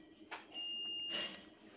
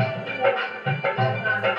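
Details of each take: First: Stranger PBT701 amplifier, continuity test on the output stage: one steady high beep under a second persists even after all 5 upper resistors are disconnected, still showing a short. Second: Stranger PBT701 amplifier after shorting check, playing MP3 music through a connected speaker at raised volume: loud, full output with no hum, crackle or distortion; clean amplifier output, ready.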